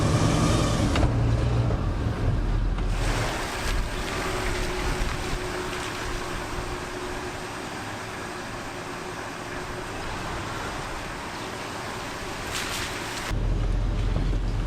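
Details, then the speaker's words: Flooded 1978 Ford F-150 on its first drive after repairs: steady road and wind rush over a low even drone, no whine or growl; the earlier transmission-bearing noise is gone, drivetrain sounds quiet and smooth. "Is that weird trans-bearing noise? Yeah. Oh, it's gone. It's fixed."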